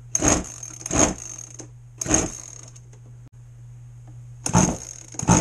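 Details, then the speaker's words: Flooded two-stroke RC boat engine being cleared by venting through the plug hole with the throttle wide open: separate pull-start bursts, each catching with a short sputter, then it kicks. It still needs more venting. Flooded engine. "Now, normally, you're not going to have that much of a flood. This really should have started with probably one vent."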